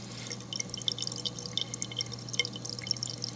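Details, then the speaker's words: Eshopps PSK-100H protein skimmer: irregular gurgling, splashing and bright drips over a steady low hum. The noise is not from the air hose, which has a silencer. It is quieted using a 2-liter bottle cap. "The sound is not coming from the air hose. I have a silencer on mine. You still hear it."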